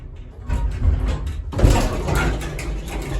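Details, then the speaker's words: Very old elevator in poor condition, on a service call: harsh low rumbling and scraping throughout the door travel. Excessively noisy door operation that needs further work. "Okay guys, actually, no wait, when we go down to 1, you can still hear that roller."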